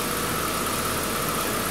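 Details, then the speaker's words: 2011 Buick Regal 2.0 turbo with a replaced engine and a fixed air intake, no codes after revving, not yet road-driven: steady, even idle with a constant faint whine on top and no misses, knocks or hunting; engine running healthy. "but you hear it you see it I mean it engine runs good runs really good"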